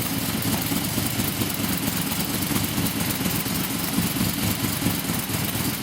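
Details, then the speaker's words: Blown 355 Chevy small-block V8: Scat forged crank and rods, forged blower pistons, Dart aluminum heads, solid roller cam, Weiand 6-71 blower, twin 600 Holley carbs, earlier lean-running carb problems; deep steady even idle, heavy low rumble, no misses or knocks. Normal idle. "sounds like a winner hope you liked it I do can't wait to get it in the rat rod"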